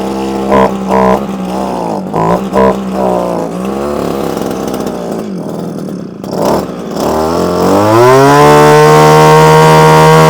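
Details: Early-1980s Komatsu Zenoah two-stroke trimmer that would not start, now running after priming the empty primer bulb: it blips a few times, then settles off choke into a steady, clean high-pitched run with no stumbling or surging while warming up.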